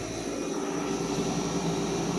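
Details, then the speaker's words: Vintage Day & Night air conditioner, old big reciprocating compressor with sweaty line: steady fan whoosh and compressor hum with no knocks or rattles; normal running before shutdown. "the line is sweaty you can hear the refrigerant sound in there but yeah very old big reciprocating compressor"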